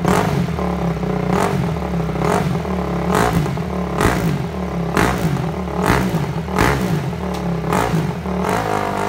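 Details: Freshly reassembled Honda CRF250 single-cylinder running on choke during a carb-cleaner spray test for air leaks around the carb boot. It runs rough under throttle with irregular pops about every two seconds, stumbling; fueling or air leak suspected.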